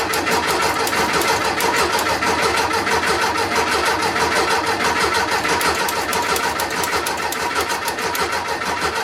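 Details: VW Beetle after installing a new Pertronix distributor and coil, fresh gas added; steady even starter chugging for nine seconds without a catch or pop; fuel smell present, owner suspects ignition timing off, not confirmed.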